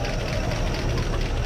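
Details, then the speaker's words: 1956 Pontiac V8 idling after sitting almost 40 years, a little smoke expected; low even burble with steady beat and no knocks or stumbles, running smoothly; normal idle. "look at that a little bit of smoke has to be expected it's been sitting a long time look at that that is incredible man oh man sitting that long turnning like a kitten ain't that something that is incredible"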